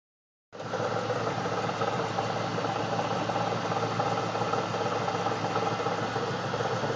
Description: This is my 1999 camaro ss that is making a weird noise.